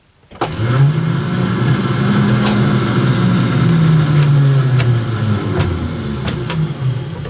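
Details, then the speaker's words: 1967 Dodge Dart sitting 5+ years, newly installed starter, in park: free whirring whine that climbs then sags with no crank beats; starter spins but doesn't engage the flywheel. "you guys should be able to hear that it's just kinda just seems like the start is just spinning"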